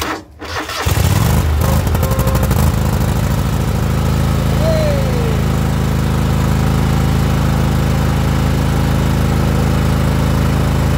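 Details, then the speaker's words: John Deere hydro mower after the starter issue was fixed. Brief crank, then it catches at once and settles into a steady, even low drone with no misses. Starts right up and runs well, so no carburetor cleaning needed. "And you can see that it starts right up, and it actually runs pretty good, so we don't have to clean the carburetor."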